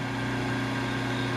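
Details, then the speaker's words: Cut-away single-phase motor with a busted starter switch and capacitor housing removed: steady low hum, clean unchanging tone, no grinding or rattle; sounds pretty good. "Motor actually sounds pretty good for a motor that's going in the garbage. It's all cut up."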